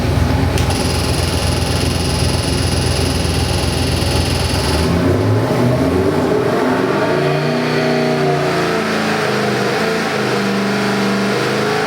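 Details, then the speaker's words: 347 small-block Ford crate engine (302 block, ~430HP) on dyno for 1970 Mustang, Edelbrock 750 carb, MSD distributor: loud V8 pulling hard then dropping to rumbling idle, no knocks; good oil pressure, AFRs on target, healthy. "That is so nice. Beautiful oil pressure. AFRs are right where I want them."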